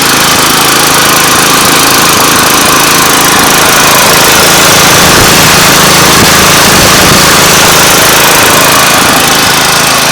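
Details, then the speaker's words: Yard Machine high-wheel string trimmer with Tecumseh engine; it has no clutch, so the head spins whenever the engine runs; steady, even high buzz with no misses, knocks or surging; normal running. "the only thing about this one is uh it doesn't have a clutch so while uh so the little the strings spin at uh the head rather spins at all times while the engine's running"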